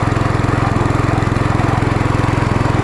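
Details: Small pump engine driving a water pump on a farm, running about 20 minutes, water coming out crystal clear during final testing; steady putter at constant speed, even firing, no misses or surging. Normal running.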